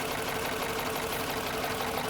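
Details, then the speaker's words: 2013 Jeep Grand Cherokee 5.7 V8, about 160,000 miles, valve cover previously off with a bolt missing, water pump recently replaced: rapid even metallic clatter over rough idle; top end clatter, doesn't sound healthy. "I mean, this doesn't sound healthy."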